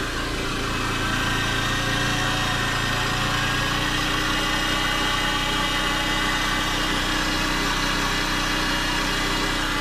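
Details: Honda Dio AF62 50cc scooter due for overhaul, deliberately run with no oil added: harsh rattly idle, loose metallic clatter over the hum, uneven beat; abnormal noise from a badly worn engine.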